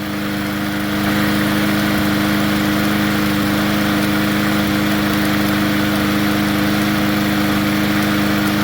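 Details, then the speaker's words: Poulan push mower engine swapped onto another 20-inch deck: steady drone with light rapid chatter at constant speed; owner says the governor spring has lost tension, causing hunting. "Perfect. Um, it's doing that little chatter thing because that little spring has lost"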